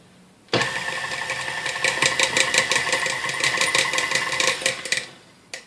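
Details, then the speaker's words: Dormeyer 4200 mixer running with beaters in: fast light ticking, about three a second, over motor hum; occurs only with one beater, traced to beater ejector issue. "So there seems to be an issue with the beater ejector making that noise."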